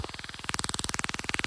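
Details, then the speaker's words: Autel EVO 2 drone in flight: rapid even buzz around 18 pulses per second, sharpening partway, gimbal vibrating and image unstable; owner suspects gimbal motor fault, cause unconfirmed. "it starts to shake like this okay and I don't know if you can hear it but I'll pick it up so it's it's a vibrating a little bit that makes the picture not stable"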